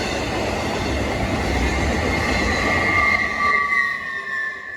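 A loud, steady high screech rides over the rumble and clatter of passing railcars, then fades as the train moves off; wheel squeal.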